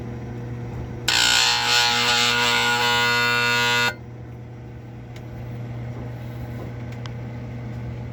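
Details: Marine Air Systems Cabin Mate air conditioner on a Mainship 40DC boat: steady hum, then harsh loud buzz for about three seconds as the compressor struggles to start, then back to hum; cause unknown.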